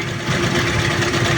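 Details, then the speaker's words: Rough-idling engine after intake manifold hoses checked and air-fuel mixture (idle) screw adjusted: steady, even idle with smooth low rumble, no shaking or hunting; mixture now set right, no longer vibrating. "Okay naman hindi rin naman na vibibrate hangin."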